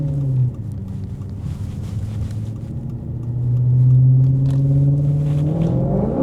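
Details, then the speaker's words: Maserati GranTurismo with ruined, vandalised exhaust: deep, loud drone holding at steady throttle and climbing with revs, described as unbearable and audible kilometres away; straight-pipe exhaust booming. "Aika eläimellistä menua on kyllä täytyy sanoa. Kuuluu luultavasti viiden kilsan päähän tämä vingutus tuonne."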